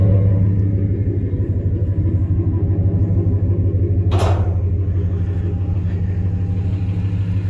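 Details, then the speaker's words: 2001 Ford F150 2WD, 5.4 two-valve V8, 277,000 miles, newly installed exhaust; starts right up into a steady deep even idle with no knocks or misses, runs real good. "There. 277,000 miles on it. Listen to it, it'll start right up. Runs good. Runs real good. He just had exhaust put on it."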